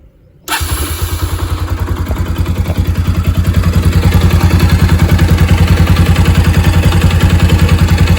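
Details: Bajaj Pulsar 200 (AS200/RS200/NS200) at about 17,000 km: engine catches at once and settles to an even, quick idle beat; any top-end tapping under it is hard to pick out, no smoke. Cause suspected, not confirmed.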